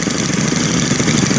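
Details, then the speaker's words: Brand-new Stihl FS string trimmer, one of three started with choke and run together at idle, giving a quick, even two-stroke buzz at a steady idle with no stumbling or surging; the engine idles fine. "1 4-cylinder weed whacker. That's pretty awesome. It does sound pretty neat. It does sound pretty darn neat."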